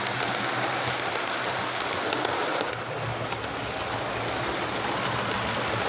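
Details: Hornby HST model power car running after service; one of the pair had its motor replaced and its bogie frames swapped. Steady, even hiss with light rail clicks and no labouring; both run okay now, normal running.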